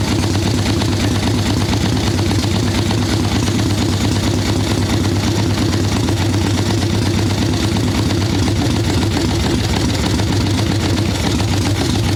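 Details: Harley ironhead Sportster XLCH chopper V-twin, Mikuni VM38 carb, idle tuning on fresh plugs, cold wet day: lumpy, lazy idle with dull heavy beat that never settles, boggy and unhappy; rich mixture, though owner suspects it may not be just the carb.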